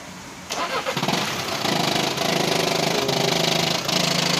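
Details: VW Vento 1.5 TDI diesel with DSG transmission: cranks and fires, then loud loose metallic chatter over uneven idle; dual-mass flywheel rattle from failed flywheel.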